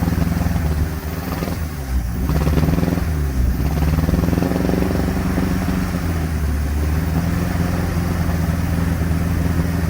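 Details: 1957 Ford Popular 103E sidevalve engine misfiring: low chug that stumbles unevenly, with a brief blip of revs early on.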